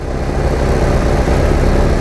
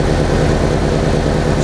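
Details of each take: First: 1987 VW Vanagon misfiring and stalling despite many replaced parts: loud idle with an uneven, stumbling beat under a steady drone; computer cycling the coil on and off, misfire traced to the coil fed without its ballast resistor. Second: 1987 VW Vanagon with a misfiring and stalling problem, after a ballast resistor was fitted to the ignition coil circuit: steady, even, smooth low idle with no stumbles or misses; the ballast resistor fixed it.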